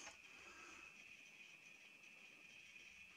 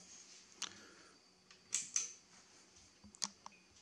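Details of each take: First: HP 3456A voltmeter at power-on, before teardown: a faint, high-pitched, steady buzzing chirp over a quiet room; traced to an open power supply filter capacitor. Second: HP3456A bench voltmeter after repairing a chirping fault by replacing a failed X capacitor in the power supply: scattered crisp relay clicks through power-up and 12-step self-test, no chirping, no errors.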